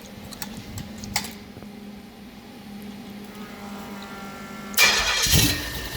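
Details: Pontiac 428 with three two-barrel carbs and a Comp Cams hydraulic roller cam (224/230 at .050, about .5 in lift), cold, choke closed, on the fast idle cam: steady, even low hum with no knocks or misses; healthy cold fast idle.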